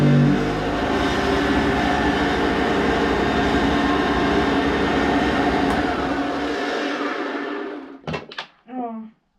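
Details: Hoover vacuum cleaner, new bag fitted, run then switched off: harsh, rough motor roar with a gritty rattle throughout, dying away at switch-off; owner suspects the motor needs lubrication, unconfirmed.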